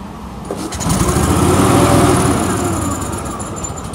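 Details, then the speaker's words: Billy Goat quiet blower with Vanguard engine, sat for years without fuel, fuel cap missing; pull-started on starting fluid sprayed in the carburetor, fires and revs for a couple of seconds, then fades and dies: fuel starvation, runs only on starting fluid. "sounds really good it won't stay running because i'd have to keep spraying it"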